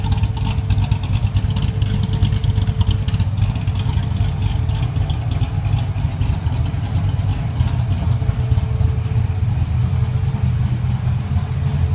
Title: Zr1 rough idle